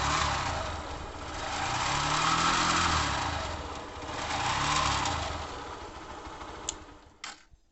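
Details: Honda Fan 150 motorcycle with a strange engine noise, due to go to a mechanic. Two slow throttle blips then shutdown, with an odd mechanical rattle under the revs; cause unclear.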